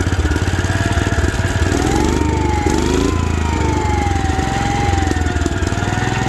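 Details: 1972 Wheel Horse Raider 12 lawn tractor: single-cylinder idles evenly, speed dipping and recovering as governor catches it, no stalling; previously died when idled down, now much better.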